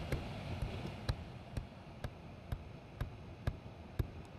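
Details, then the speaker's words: Seat Ibiza diesel with the glove box removed and the blower on full: sharp thumps about twice a second over the blower rumble from the heater flap actuator, whose broken gear cog makes it stick though the flap still opens. "It still opens, as you can see, but there is just a broken cog on that mechanism there."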